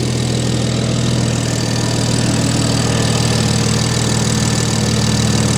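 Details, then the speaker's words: BMW E60 with single-turbo N54, after refitting F80 M3 coils, plugs gapped to .022 and reflashing the MHD tune to OEM coils; steady even six-cylinder idle hum, no hiccups. Normal idle. "Yep, running smooth. No hiccups, nothing. Turn on like a factory car."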